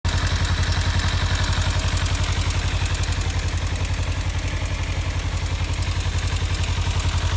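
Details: 2015 Kawasaki Ninja 300 at warm idle: crisp, very regular top-end ticking rattle about four per second over the engine beat, appearing only once warmed up; owner suspects the cam chain tensioner or loose exhaust header bolts, not confirmed.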